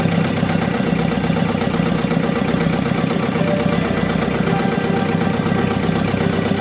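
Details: Diesel engine with low power, vibration and black smoke: rough idle with an uneven shake about four times a second over a steady clatter; misfire from a fuel system fault needing repair.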